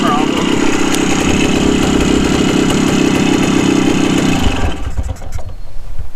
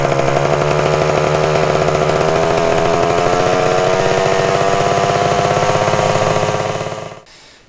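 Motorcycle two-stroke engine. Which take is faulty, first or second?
second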